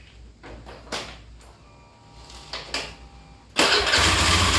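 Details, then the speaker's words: Honda Beat FI scooter that hesitated on initial acceleration, fixed after fuel pump identified as the cause: after light clicks it snaps cleanly to high revs without stumble; pulls freely and sounds healthy. "Sepeda motor ini sudah diperbaiki dan bisa digas, seperti yang Anda lihat."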